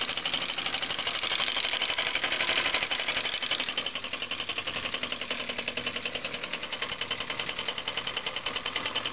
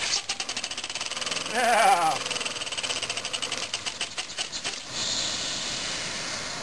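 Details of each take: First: Homemade compressed-air engine from scrap, copper pipe cylinder, run from a compressor at pressure raised above about 5 psi: fast, even, steady light ticking, quieter now that the valve stops groaning; running normally. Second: Homemade scrap-built compressed-air engine on about 5–10 psi from a small compressor: quick regular air puffs whose pace and strength waver then fade; hand-set valve timing without set screw vibrates out of time.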